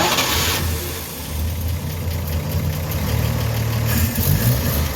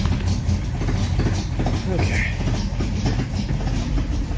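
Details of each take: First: Rebuilt 1953 Chevy 3800 truck engine after cleaning plugs: low, slightly uneven rumble settling into steady idle with no knocks or misses; sounds healthy, though owner thinks too much choke. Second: Rebuilt 1953 Chevy 3800 truck after new coil, points and cleaned plugs: low lumpy uneven idle with heavy rumble, running rough from too much choke; owner also suspects timing off.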